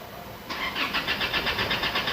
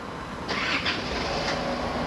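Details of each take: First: Isuzu D-Max diesel that stalled while driving: starter cranks steadily at about 170 beats a minute but it never catches; scan shows rail pressure not rising, suspected fuel rail pressure switch or injector rail fault. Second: Isuzu D-Max 4JK1 2.5 diesel after the rail was refitted: cranks briefly, catches and settles into a steady diesel run; rail pressure now rises, though injectors 2 and 3 read poorly.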